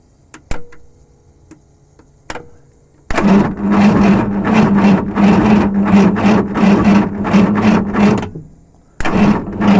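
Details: VW Vanagon after an engine conversion cranks steadily for five seconds but won't start; fuel pump is heard working, owner has spent two days on the electronics and the cause is not yet found.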